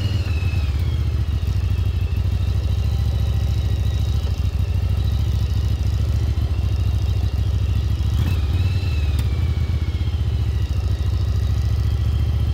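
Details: 1996 Yamaha Virago XV750 V-twin, sat about 10 years in a garage, test ride after cleanup: steady, even drone holding a smooth beat under way, no misses or clatter; running great.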